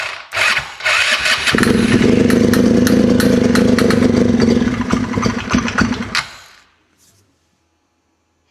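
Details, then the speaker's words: Polaris RZR 170 that sat for 5 years, after a sniff into the airbox: it catches, runs rough and uneven for about five seconds, then dies; a possible knock was questioned but not clear. "did not sound very good, did it? Did that sound like it was knocking to you?"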